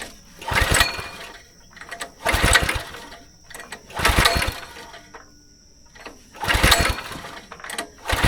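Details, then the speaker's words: Go-kart small engine sitting 3 years, carburetor partly rebuilt, fresh fuel, primed, choke lever left off: four pull-start bursts of cranking with no firing; cranks but no start, forgotten choke realized afterward. "Quick mistake I just realized, I forgot to put the choke lever on. So I'm going to speed run, take this thing back off, put our choke lever on, and then this thing should fire it up."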